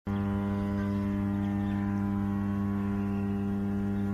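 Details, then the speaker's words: Transformer, a static device with no moving parts, giving a steady deep mains hum with even tone and overtones, nothing rattling or crackling; normal humming caused by magnetostriction, the iron core expanding and contracting. "Transformer అనేది ఒక static device అందులో ఎలాంటి moving parts గాని rotating parts గాని ఉండవు అయినప్పటికీ transformer దగ్గరగా వెళ్ళినప్పుడు గుయ్యం అనే ఒక సౌండ్ వినబడుతూ ఉంటుంది దీన్నే టెక్నికల్ టర్మ్స్ లో హమ్మింగ్ సౌండ్ అంటాము"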